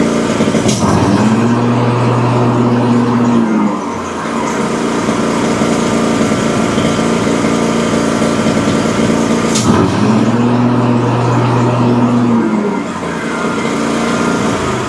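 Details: Exmark Vantage S stand-on mower, Kawasaki FS541V V-twin, 1181 hours, run just after refilling empty oil and changing the filter. Runs rough with uneven pops and cracks; customer reports no power when blades engage. Suspected excess fuel or a sticking or leaking valve.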